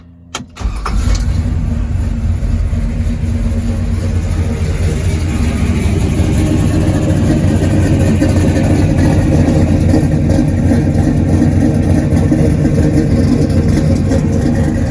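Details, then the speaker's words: Restored 1969 Chevrolet K20 truck, 400HP small-block V8 with big cam and 4-barrel carburetor, cold start: quick crank, instant catch, then steady lumpy idle with even firing, no knocks or ticks; normal start. "Car guy if hearing a motor like that doesn't get you going, because that just sounds so good in a big truck like this."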